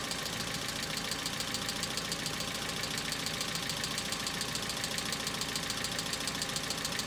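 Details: Hyundai Accent cold start at about -2 to -3°C: fast, even, light ticking clatter over cold idle from hydraulic lifters; owner says knocking is now more intense and lasts longer than before, expected louder in harder frost.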